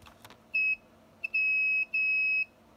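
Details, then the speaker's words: FPV quad build with a fourth flight controller fitted after a crash, Betaflight motors-tab ESC calibration with battery plugged in: short high startup beeps, one then two longer tones, but no confirmation beeps after lowering master throttle; motors won't spin up. "then if I go down on the master control I never hear that concurrent set of beeps letting me know that it has been calibrated"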